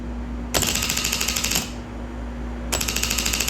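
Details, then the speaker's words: 2008 Nissan Frontier 4.0L V6 2WD on a jump box, after a new starter was fitted and the IPDM tested fine: two bursts of rapid clicking, about three a second, with no cranking. The starter solenoid chatters and the starter never turns. "just click click click click that's with my jump box"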